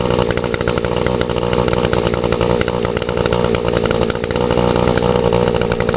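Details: Older Echo SRM 2201 trimmer with 21.2cc two-stroke engine, choke-started and primed. Small engine buzzes at a steady high speed without sputtering or dying: normal running, started up well and stayed running.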